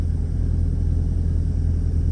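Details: 2007 Mercedes SL55 driving after installing new Creative Steel engine mounts, replacing failed stock and aftermarket mounts: steady low engine drone, no knocks or vibration through the body; smooth, quiet cruise.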